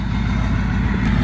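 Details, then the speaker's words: 6.0 diesel after installing 155/30 injectors: a steady, even idle with a deep low rumble and no sharp injector knock; it still hazes slightly from the extra fuel but runs healthy. "But it's not pouring out of the hood, and it doesn't have real bad injector knock anymore, so that's good."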